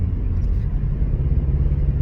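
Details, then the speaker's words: Rover 25 running badly since its engine bay was cleaned, engine management light flashing: low, lumpy idle that stumbles and shakes unevenly; misfiring, owner suspects coil packs. "hear that sounds a bit like a subaru or an old volkswagen beetle or just something that's completely shacked engine light engine management light was flashing at me a minute ago"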